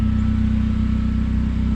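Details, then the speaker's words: Freshly rebuilt Honda Prelude at idle with an exhaust leak at a flex pipe; smooth, even idle with strong low exhaust drone and no ticking or tapping; normal idle. "You can hear, I mean, she's purring, no ticking, no nothing."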